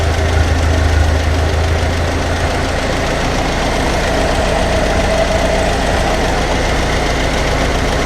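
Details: Ferguson TEA20 tractor, barn find with rebuilt engine, after adjusting screws: low, steady, even tick-over idle, running smoothly, hydraulics working.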